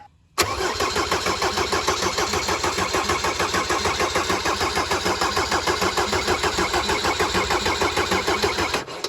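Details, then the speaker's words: Mercedes 190D W201 diesel after fitting new stainless fuel lines, injector cracked open to bleed air, cold weather: nine seconds of steady cranking at about three compressions a second with no firing until fuel reaches the injector; air in the fuel system. "What that'll do is just get rid of any air in the system and prime the fuel system ready for cold start operation."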